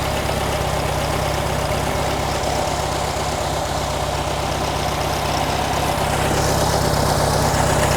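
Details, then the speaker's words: 1957 VW Beetle at warm idle after a tune; spraying around the carburetor makes idle speed climb, traced to the throttle shaft leaking, intake showing little change; vacuum leak past the carburetor throttle shaft. "Throttle shaft is leaking. You hear it rise."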